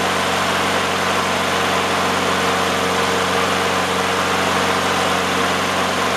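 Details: Briggs & Stratton 6.5 engine on a Toro self-propelled mower, after replacing the sheared flywheel key from hitting a rock: runs steadily at even speed with no misses or knocks; normal.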